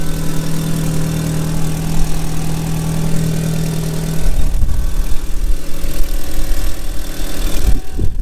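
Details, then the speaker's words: Stolen-recovered Audi A3 built as an S3 replica, cold start: steady low drone, then the revs wander unevenly with an odd engine noise of unknown source; little smoke, the owner is unsure whether the turbo is gone; abnormal engine noise at idle. "it seems to be running with a funny noise in the engine i'm not sure what that is"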